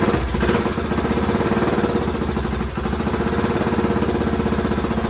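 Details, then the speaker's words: 1981 Honda XL500S single, first start from stone cold with makeshift fuel tank after oil change and air filter: fast, even idle with steady firing pulses and no knocking; runs fine, owner hears a possible leak, carb not leaking. "all right well she runs good i haven't had a chance to take her out on the road yet obviously but i at least know it idles and starts up pr"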